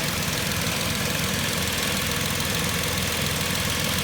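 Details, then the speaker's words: 2010 Vauxhall Corsa 1.0 Ecoflex three-cylinder replacement engine whose tapping rattle came from worn inlet manifold swirl flaps; with the swirl flap solenoid vacuum pipe disconnected, idle is steady and smooth with no tapping or rattle. "that's amazing now the engine's lovely and quiet"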